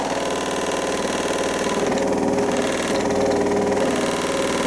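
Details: Zanussi-type washing machine in test-mode spin with one slightly damp towel: rough, rapid knocking about four times a second over the motor hum, a horrendous drum banging that continues.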